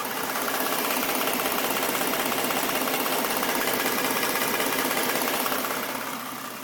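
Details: 2011 Ford Mustang V6, stock engine, 24,000 km, at idle: quick, even tapping of about two to three a second. The owner suspects a knock from the passenger-side cylinder head; it could be injector tick, cause unconfirmed.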